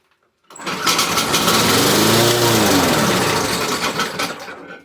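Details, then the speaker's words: Briggs & Stratton 475 push mower, primed three times then pull-started: fires, revs briefly, then dies within seconds from fuel starvation; runs only on primer fuel, owner suspects fuel issue; later fixed with new intake tube and carburettor diaphragm. "You pull it and start it and it will stop straight away. It's like it's starving of fuel straight away. It has a primer bulb, so you prime it, it starts on that primed fuel, but it doesn't want to keep drawing the fuel."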